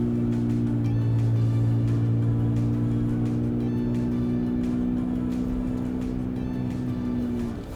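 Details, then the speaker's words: Ram 1500 inline-6 twin turbo with prototype MBRP exhaust, 3-inch perf resonator and Helmholtz tube, pulling uphill in first gear: steady, even low note with no booming drone; smooth, drone removed at 2,000-2,200 RPM. "That was much smoother. So it is tuned properly."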